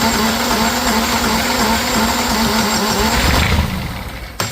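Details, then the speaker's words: Universal M25XP marine diesel from a Catalina 36, untested scrapyard engine, cold and needing heat: fires and runs roughly about three seconds, then slows and dies; catches but won't keep running, cause unconfirmed. "Oh, it wants to fire. It's not galloping though. No, it's not."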